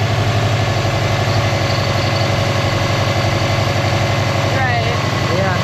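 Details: 2002 Subaru WRX after a Fluidampr crank damper install, first start: steady, even idle pulse, low and smooth with no knock, wobble or chatter; crank dead straight, idling normally.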